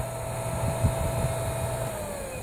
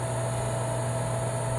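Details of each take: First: Meyer water pump, about 1.5 hp, after repairing the broken cover over the centrifugal switch: smooth even motor hum with steady whine, starts without needing to push the cover; normal running after repair. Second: Meyer water pump, about 1.5 hp, with a broken cover over the centrifugal switch: steady low electrical hum and vibration, never winding up; the motor stalls, and starts only when the cover is held in place.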